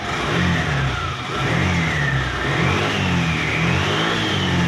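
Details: Yamaha Aerox 155 v1 scooter that wouldn't start, found discharged battery: engine catches and runs evenly, revs rising and falling smoothly, no knocks or stumbles; healthy running.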